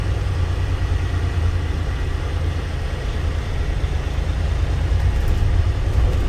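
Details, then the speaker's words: 2012 Volvo truck diesel after sitting 2 months, aired up: steady even low rumble at idle, no knocks, misses or hunting; turbo actuator possibly repaired previously; smooth normal idle. "Runs smooth."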